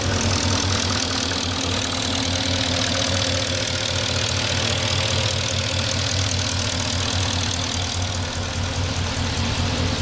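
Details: 2004 Porsche Cayenne S 4.5 V8, about 50k miles, well maintained, about 3 minutes after cold start: steady warm-up idle with soft quick ticking under the hum; owner thinks it is normal, not scored cylinders or piston slap; cause unconfirmed.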